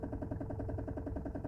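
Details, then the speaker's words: Mazda Xedos 9 at idle, heard inside the cabin: steady knocking about eight or nine times a second. Idle speed is fairly even and it revs freely; engine knock, source not found. "Боремся со стуком в моторе. Очень хорошо слышно его и в салоне."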